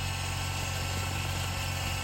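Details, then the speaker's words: Mazda RX-8 rotary engine started after sitting 2.5 years, with no belts connected: smooth, even buzzing idle with constant pitch and no hunting or misfire; idles healthy. "that sounds better we'll get it started all right let's keep an idle good"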